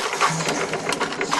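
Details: Aquarium filter pump just plugged back in after reassembly, motor running without water before pressing the priming valve: rattly buzzing whir with uneven clicks and no water sound, pump running dry.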